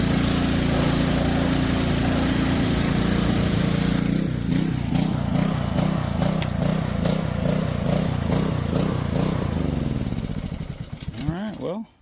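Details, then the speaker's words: Honda-powered Homelite pressure washer found trashed, after draining old gas and refilling with fresh: small engine runs, then hunts up and down in speed before winding down; idle surging reduced but not fully cleared. "still doing a little surging, but seems like that cleared it up quite a bit."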